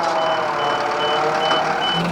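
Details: Hino Dutro turbo diesel flatbed car carrier, hydraulic tray run via PTO with idle assist turned up to raise engine revs: clear high beeps about twice a second over steady truck idle, the normal warning while the tray moves.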